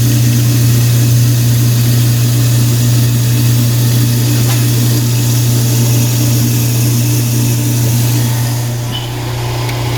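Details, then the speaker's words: Apartment garbage disposal, seized then freed with a quarter-inch wrench, running with water: steady low hum with even drone and faint rapid flutter; spins freely and runs normally, slight vibration noted. "So let's turn it on. Here, it's running. Just like to run a little bit of water in it."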